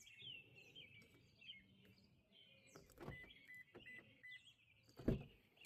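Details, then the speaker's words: 2022 Toyota Corolla Hybrid, after replacing the door lock actuator: quiet background with birds, then one firm clunk near the end as the lock throws; the new actuator locks normally. "Unlocked. And I can hear it actually locking inside of there. So, yep, I think this took care of it."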